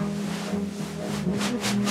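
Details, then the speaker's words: Becker car FM radio, 1978 demo: music with a rough, fluttering hiss swelling in pulses, multipath distortion from the signal reflecting off obstacles in cities or hilly areas, without cutting reception. "si le signal émetteurs arrive à l'antenne réceptrice en passant par différents obstacles réfléchissant en ville par exemple ou dans les régions vallonnées cet effet de vibrations par les parasites en résultant s'amplifiera 1 sans pour autant couper la réception en voici le bruit caractéristique"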